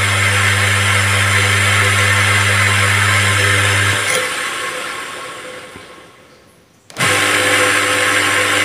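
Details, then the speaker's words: Repaired 14kg clothes dryer (spin) motor, fixed after a burnt, shorted winding, braked by hand with pliers: steady strong hum with even pitch that drops as it is braked, then comes straight back; very strong torque, healthy. "pabrik tenaga. Wow, sangat kuat sekali tenaganya, tidak mau berhenti pakai tang sampai begini."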